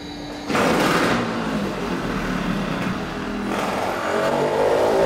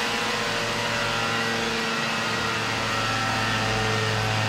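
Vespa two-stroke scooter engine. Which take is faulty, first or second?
first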